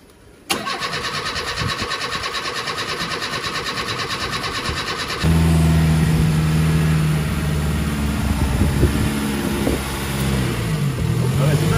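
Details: Fully rebuilt engine on its first start, oil primed beforehand, oil pressure a little high with cold oil: starter cranks evenly about three times a second for nearly five seconds, then it catches and settles into a smooth, steady idle.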